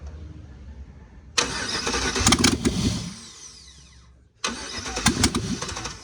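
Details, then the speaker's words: 1988 Pontiac Trans Am with 5.3 LM7 LS swap, after wiring and cycling the fuel pump three times: starter whirs, engine catches briefly then dies within seconds, twice; the computer's VATS anti-theft was not deleted. "bat's not deleted bro the vet's not deleted but your boy can come do it though"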